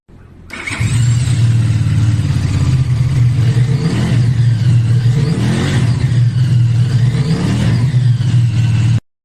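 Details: Qianjiang Sai 550 twin after repair of throttle-release noise with replacement crankshaft bearing shells, engine rebuilt: revs smoothly with deep steady beat, even pitch rises and falls, no knock on throttle release; healthy after repair.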